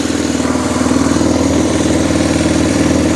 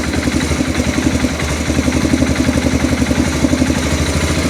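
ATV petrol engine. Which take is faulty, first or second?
first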